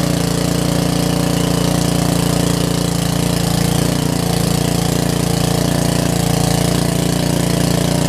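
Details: Karcher pressure washer with 6.5 hp Briggs engine, sat a while, after installing a new carburetor: steady, even idle with a smooth low hum and regular beat, no misses or surges; normal idle.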